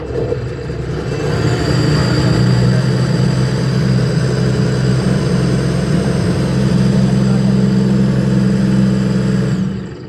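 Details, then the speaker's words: 2025 Sea-Doo RXP-X 300 after a no-crank no-start from a blown 5 A ECM fuse causing low ECU voltage, fuse replaced and ECU reset: engine holds a flat steady drone and will not rev; check engine points to a faulty throttle body. "Wala siyang revolution guys. Throttle yung chick engine na yan. Throttle yan."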